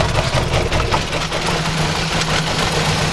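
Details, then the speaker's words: 2010 Chevy Aveo 1.6 Ecotec petrol engine idling with misfires: steady airy hiss over a low hum from an internal PCV vacuum leak in the valve cover's integrated PCV system; fixed by replacing the valve cover. "you see right here's where that pcb system is it's the ecotech as i change that now watch this see how bad it's leaking internally look at that"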